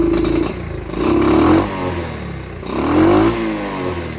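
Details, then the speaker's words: Pit/dirt bike carburetor with air screw about one turn out, idling fine: each throttle blip swells then sags and stumbles instead of rising crisply; rich bog from an oversized pilot jet, smaller pilot jet needed. "Like I said, this is where we go in, put a smaller pilot in, and that would solve all our issues here."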